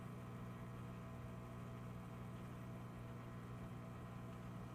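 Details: UV sterilizer making a constant low electrical hum with a faint buzzy edge that doesn't change through the clip; it hums louder than it should, abnormal noise.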